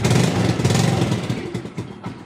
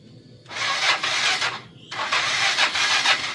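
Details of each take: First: Motorcycle left unused about a week during the Lebaran trip, after charging its run-down battery: catches straight away into a steady, even idle with no cranking struggle; normal start. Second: Motorcycle left unused over the holiday: three rasping starter bursts never catch, weak cranking from an old discharged battery; fix is charging it (laptop 14–19 V charger), replace battery if no improvement.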